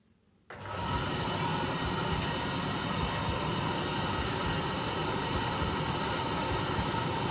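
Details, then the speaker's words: Candy CTDB H7A1TBE-80 condenser tumble dryer, reassembled after motor capacitor fix, running a 40-minute load of washed clothes: steady even whir and rumble from drum and fan, no knocks or squeals; running normally, clothes dried warm. "thank you as you can see it's still um working yeah I'll show you here stop the cycle and oh God you can see the clothes nice and warm inside here and all the clothes are dry"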